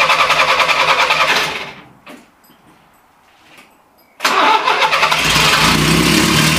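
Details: Renault Trafic van started for the first time in 23 years on a homemade exhaust: labored, pulsing cranking fades, pauses, then the engine catches abruptly and runs loud and ragged, spitting black smoke; still very hard to start.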